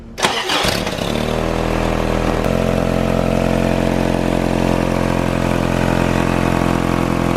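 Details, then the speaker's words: 1986 1st-gen Toyota 4Runner 22RE starting and idling with a loud, raspy, puffing exhaust leak from a broken Y-pipe; a new exhaust manifold did not fix it. "as you can hear there it's got a pretty gnarly exhaust leak and I can smell it right now"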